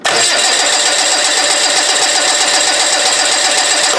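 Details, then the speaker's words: TDI diesel engine cranking with fuel cut during a cranking-amperage test, clamp meter on the cable: even, fast starter whirr for about four seconds, never fires; about 281 A while cranking, with a higher initial peak (349 A in an earlier attempt). Normal cranking. "So it's cranking over at 281, but there was a maximum on there, considerably higher for that initial charge."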